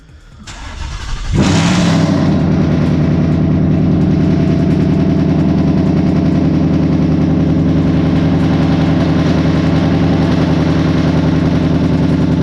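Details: Ford Mustang GT that threw codes P0155, P0135, P0443, P0446 after E15 was filled instead of E85; after replacing a blown fuse, short crank catches at once and settles into a smooth, even idle; engine running normally, gauges working again.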